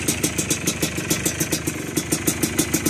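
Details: 2001 Yamaha Blaster two-stroke, first start after an engine build: crisp popping at about six beats a second, steady and even with no rattles. A healthy idle on the fresh engine.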